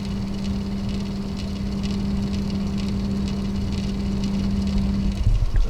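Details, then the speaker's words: GT 710 graphics card in a test PC: a steady low hum with a clear tone around 200 Hz drones evenly; the small card fan is noisier than it should be. "i'll be throwing this gt710 in here because this video card is a little noisy"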